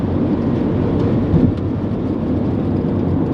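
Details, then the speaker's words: Honda Element cabin at freeway speed, about 75 mph, AC off, before replacing worn door weatherstripping: steady low roar of wind and tyre rumble, too loud for the speed; excessive wind and road noise from worn door seals. "AC off. And yep. Definitely road noise that we need to repair."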